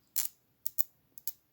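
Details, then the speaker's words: Farmall Super A ignition coil bench-tested off the tractor with battery leads, the lead touched across a widened gap: four crisp snapping sparks in two pairs, strong and clean, so the coil is not burned out. "you can see they just focus there's a spark okay so I assume this coil is not burned up"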